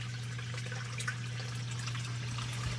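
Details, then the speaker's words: Basement sump pump after clearing an iron ochre blockage from the discharge pipe: steady low motor hum with water flowing evenly, no rattle or strain, lowering the pit level; normal sump pump operation. "pump is on right now and it's bringing the level water level right down and it should shut off here"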